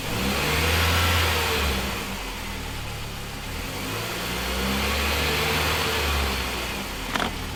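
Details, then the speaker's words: MINI R50 One at idle: a light metallic rattle from the transmission area with the clutch pedal up that stops when the clutch pedal is pressed; gearbox or clutch suspected, cause unconfirmed. "so this is the rattle that can be heard from the transmission area with the clutch pedal up with the clutch pedal to press the rattling stops"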